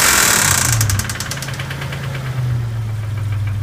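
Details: Dodge Stealth engine: sharp, fast ticking at about 3–4 per second over a rough idle with a deeper knock underneath. Oil pressure reads really high and it is smoking again. Owner suspects an engine knock plus a bent valve tick, not confirmed.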